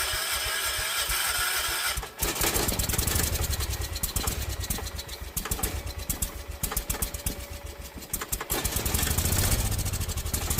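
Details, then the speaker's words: John Deere 314 garden tractor with a rebuilt Kohler K321 single, first run before its carburetor swap: after a few silent seconds it fires and catches, then runs with an uneven, lumpy, surging beat. Cause suspected, not confirmed. Rough running. "All right, that is disgusting. Well, it will run."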